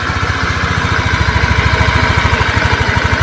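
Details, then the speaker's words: Honda Beat fuel-injected scooter that was hard to start, lacked power and would not idle; weak battery, so kick-started: even single-cylinder idle, steady and healthy; ECU and TP sensor reset still advised. "motor ini sudah hidup kembaliasnya juga bagus stasionernya juga langs bagus"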